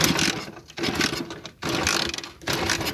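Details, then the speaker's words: Motorcycle fitted with an anti-theft hidden switch that cuts a wire: the starter whirs in bursts under a second and the engine turns but never catches while the switch is off. Cranks but won't start. "Observen, miren. Miren, no prende."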